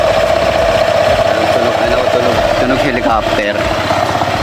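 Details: Honda PCX 160 scooter with CVT cover off, idling: steady droning helicopter-like whirr with fixed tone from belt drive; worn variator slider pieces, to be replaced as fix.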